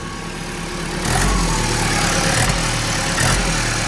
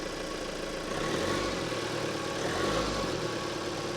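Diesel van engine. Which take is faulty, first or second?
first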